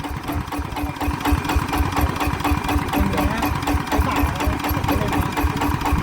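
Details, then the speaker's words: ET110 single-cylinder diesel for 120 direct-injection upgrade, balancer bearing replaced: set to slow idle, steady even thumping with clattery diesel tick, no stumbling or hunting; doesn't stall. "ไปวางรอบเบานะครับก็ถือว่าอ้าวไม่ดับ"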